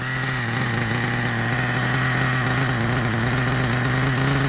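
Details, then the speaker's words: 1997 Kyosho nitro RC, GS11X engine with cooling fan: a fast, slightly uneven burble at idle with a soft, blubbery edge. It is running super rich, with lots of exhaust smoke and oil showing from a probable exhaust leak. "you just can't kill it's gonna turn off in a little bit because uh running super super rich"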